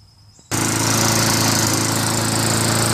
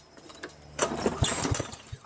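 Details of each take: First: Craftsman Eager 1 mower with Tecumseh engine, after fixing a continuous rattle (recoil starter cup fins scraping) and adjusting the idle screw to stop surging: smooth, even drone, steady pitch, no rattle; running normally. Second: Toro SR4 mower with Loncin clone engine, auto choke: a pull gives a few ragged firing pops that sputter out; intermittent hard starting, owner suspects the choke or its spring.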